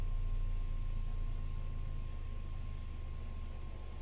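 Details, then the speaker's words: Apple HomePod after repair: deep steady rumble reaching 22 Hz with no buzz, rattle or distortion; sounds good, longer-term testing still needed. "Brother, the fact that a speaker this small can hit 22 hertz is just absolutely bonkers. Insane. Okay, to me that sounds good."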